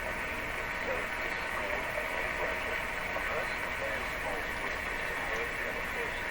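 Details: Philco 38-C7 tube radio on shortwave near 9 MHz (about 9.330), mid capacitor replacement (two 0.1 µF decoupling caps): steady hiss and hum with only a faint station underneath. Reception is very weak, probably alignment issues.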